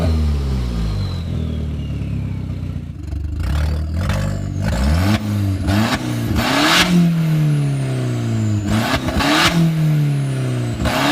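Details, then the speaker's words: 2004 Mk4 Jetta GLI, turbo: rusted flex pipe broke, so no exhaust after the turbo; loud raw exhaust roar rising and falling with each rev, loose metallic clatter of the broken flex pipe leaking and rattling underneath. "A lot of fun because the turbo is really loud, but you can hear the flex pipe kind of rattling, and it's annoying."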